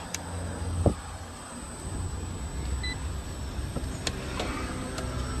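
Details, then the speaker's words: Mitsubishi high-wall split air conditioner outdoor unit, back running in heat mode after fuse replaced: steady low compressor hum with even fan whoosh, no knocks or rattles; suction getting cold, discharge warming, normal operation. "Yep, compressor is running. Let's monitor. Suction's getting cold. Discharge warming up."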